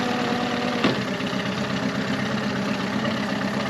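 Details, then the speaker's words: 2001 Yamaha 15hp four-stroke short-shaft outboard, sat in a barn 5 years, after full service, running in a test tank: even, steady idle with one soft clunk as it drops into gear, then keeps running smoothly; shifts smoothly. "Goes into the gear smoothly."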